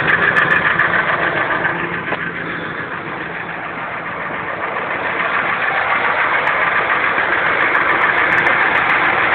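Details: 1999 Ford F-150 5.4 V8 idling with a steady, fairly regular knock of about three to four beats a second; owner suspects a bearing.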